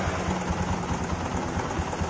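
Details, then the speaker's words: Honda Megapro Primus at idle, rough klotok clatter mainly on left side: quick regular tapping on each beat; mechanic suspects cam chain or valve clearance, not confirmed before teardown. "Ya ini keluannya suara mesinnya itu Kasar banget kelotok-klotok ya jadi suaranya cenderung di bagian kiri Ini nah ini terjadi karena suara dari rantai ketengnya"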